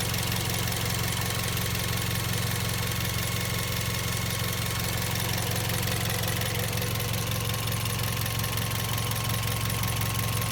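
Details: Toyota Vios Gen 2 at idle: loud sharp, regular chirp about three times a second from the engine bay over a low rumble; source not pinned down.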